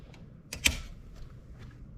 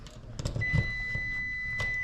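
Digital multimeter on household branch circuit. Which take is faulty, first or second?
second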